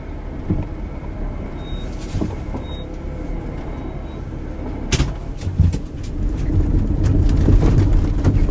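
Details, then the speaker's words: 2004 Honda Element, recorded from the rear cargo area while driving: irregular dull clunks from the rear on bumps over road noise; the cause proved to be worn rear stabilizer bar bushings. "for some time now I've noticed a bit of a clunk coming out of the rear end of my 2004 Honda Element"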